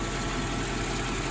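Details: Mercedes E420 V8, after lifter-noise treatment and driving, final engine-bay check: quiet, even idle, smooth hum, no clear top-end ticking; lifters quieter, owner unsure if additive or just running fixed it.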